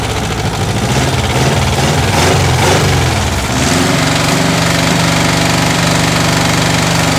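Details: 1970s air-cooled VW flat-four on a custom trike, after adjusting the flooding carburetor, battery low: a few rough seconds, then a steady, even idle with no stumbling or misfire; running normally.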